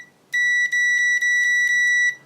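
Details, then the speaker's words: Continuity test on a pocket multimeter (one of ANENG AN101, Uni-T UT120C, Victor VC921): loud, high steady beep held almost two seconds with brief dips as contact flickers. The loudest, latching buzzer; the ANENG is quietest. Continuity beep. "That one's still not very loud, but definitely louder than the ANENG. And then there's this one. And it's also latching."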